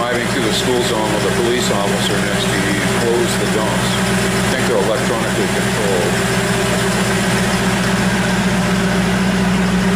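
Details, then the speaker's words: 1934 Ford pickup hot rod V8 idling with electric exhaust dumps: deep, loud, steady burble with even firing and no knocks or ticks, dead quiet with dumps closed; healthy idle. "Sounds healthy. Is that with the dumps open? And with them closed, it's dead quiet? Real nice."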